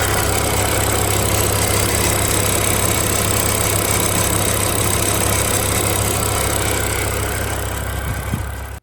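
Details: 2007 BMW M6 V10 with SMG transmission, 67,000 miles, at idle: faint buzzy metallic rattle in the engine drone; owner suspected heat shield, prying heat shields with a wooden hammer quieted the noise.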